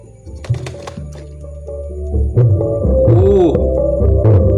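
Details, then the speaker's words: Simbadda CST Z100 active subwoofer with weak bass, after an electrolytic capacitor replacement and casing still open, plays music with full, deep, clean bass rising with volume and no distortion; amplifier working normally. "Nah, ini baru normal masih. Ini belum kita tutup soalnya masih gambret masih. Nah, kalau ini normal masih."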